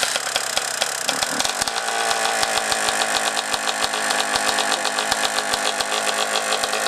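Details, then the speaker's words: 2003 Honda CR125R two-stroke, never had top-end work, low hours, at idle: sharp evenly spaced metallic ticks over buzzy idle from the top end; owner suspects piston slap, sticking power valve or reeds, top end pending. "definitely noise in the top end sounds like maybe piston slap or something going on"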